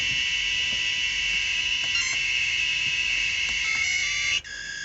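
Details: Maytag washer interface board: a high shrill buzz holds steady for four seconds, then drops sharply. The 13 V supply sags to about 10–11 V while the 5 V rail holds, so the interface board is faulty and sometimes fails to power on.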